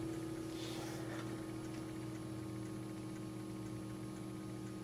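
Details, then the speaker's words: Fan on BN-LINK plug-in variable fan speed controller turned all the way to lowest, below the recommended 50%, on a motor not the right type for it; barely spinning, gentlest breeze; low steady hum, faint electrical buzz, hardly any air noise. "that's not spinning much there is just the gentlest little breeze coming out but like I said this is not the right type of motor to be running on this"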